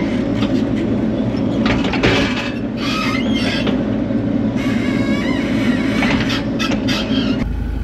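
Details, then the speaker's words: Bobcat E42 R2 mini excavator boom pivot: high, wavering squeals that come and go as the boom moves over machine noise; a dry joint caused by a clogged bottom grease zerk that won't take grease. "this is what my boom was doing I had a bad squeak to it and it took a while to troubleshoot and figure out that the grease Circ was bad"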